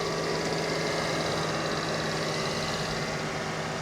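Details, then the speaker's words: 2013 Mercedes E350 coupe, about 75,000 miles, at auction, under open hood: very quiet, steady idle with soft even hum, no ticks or rough beats; healthy engine. "I can't figure out why she's here though. That is quiet as can be."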